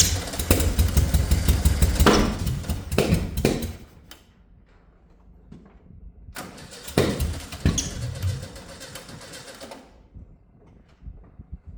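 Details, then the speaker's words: 1971 VW Beetle air-cooled project, long sitting, first start attempt: starter churns in two long bursts with a few weak catches that never pick up; cranks but won't start, fuel delivery to carburetor being checked. "annoyingly it did nearly start"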